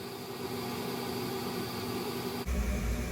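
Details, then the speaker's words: Gas forced-air furnace after blower motor replacement: steady burner and fan roar, then clean thump as the new blower motor kicks in and settles to an even hum; running normally. "and then the blower motor to push all the air throughout the house will then come on, and we should hear that for our last thing that comes on."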